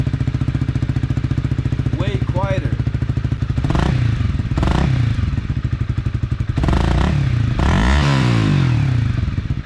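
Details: 2012 Honda CBR250R single-cylinder with new fuel pump and freshly installed Akrapovic slip-on exhaust: steady fairly low-pitched idle thump with throttle blips, muted and even, quieter than straight pipe; normal exhaust note.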